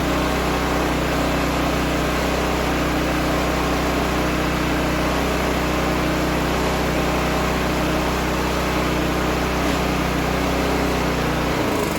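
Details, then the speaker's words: Toro snow blower gasoline engine after carburetor cleaning (clogged from winter storage with fuel in tank), primed and started: steady even hum, no misses or surging, then shut down; running normally. "Give it a prime, and it just fires right up."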